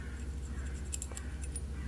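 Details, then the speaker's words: Smith & Wesson revolver: light metallic ticks over a low hum as the hammer block (safety) rides loosely back and forth in its slot, which isn't tight enough; harmless, normal rattle. "es kann zwei dinge nämlich sein einmal entweder die haben das sicherung dieses kleine ding hier reitet hier drin nämlich dieser schacht hin und her und man ist nämlich nicht eng genug ist kann es hat er ihr hinterher klappern"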